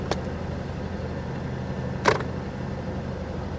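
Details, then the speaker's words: 1988 Mercury Cougar XR7 V8 at idle after a battery install: quiet, even low rumble, no misses, "listen to that baby purr," with two brief clunks from handling nearby; normal healthy idle. "to listen to that baby purr though"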